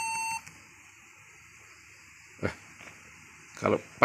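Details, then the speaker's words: Acer laptop beeping continuously during boot: steady high-pitched beep stops abruptly when a key is pressed, then only key clicks; suspected stuck keyboard key, possibly the N key, holding the alarm on. "Jadi bunyi bip bip bunyi terus-menerus. Kalau sedang booting."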